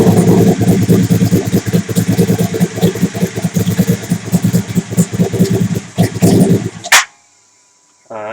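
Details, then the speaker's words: Suzuki TL1000R with big turbo and 560cc injectors, Power Commander fuel map being idle-tuned (trying -60 setting): loud, uneven, lumpy idle with burbling low pulse that never settles; still running too rich. "still too rich"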